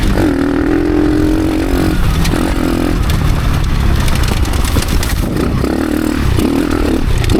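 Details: Motorcycle ridden on a test with changed gearing: engine note keeps sagging and dragging under load, revs dipping near stalling most of the ride; bogging caused by the rear wheel binding on the brake caliper or axle.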